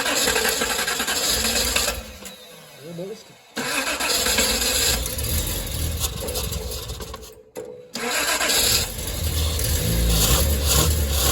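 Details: Datsun 240Z, engine not terribly cold, with the chokes pulled out after its first run had them taped open. Cranking bursts broken by pauses, with uneven catches that stumble and fade before a rough run. A hard cold start.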